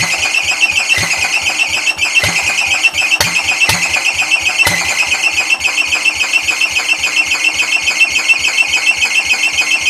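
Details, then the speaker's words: Old Cub (1953 or 1963) engine with dust inside, throttle wide open: high steady screech over quick chugging three to four beats a second; owner thinks the drive belt is squealing. "I think it's the belt squeaking for the drive yeah that's what that is"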